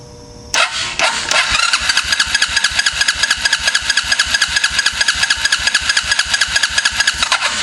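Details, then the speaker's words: 2006 Suzuki Ozark quad, not running, just after an electrical fault was traced and ignition restored: even cranking beats, each stroke pushing through firmly; sounds like plenty of compression, not yet gauge-checked, engine not firing. "sounds like it's going to have plenty of compression but that's the next thing we're going to check"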